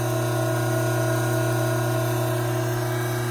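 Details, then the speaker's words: Hydraulic gear pump running under normal conditions before an inlet restriction: steady, even hum and fixed whine, inlet vacuum 3 inches of mercury, about 310 psi at normal operating temperature. "Prior to creating an inlet restriction on this pump, let's get a few background readings while the pump is operating under normal working conditions."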